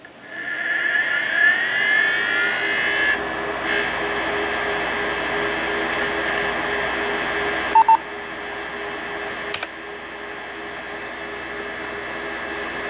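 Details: Toshiba T3200 laptop from 1987 with a 40 MB hard drive, camera beside the computer: steady high spin whine over a low hum with a few brief chirps; the old drive spins normally.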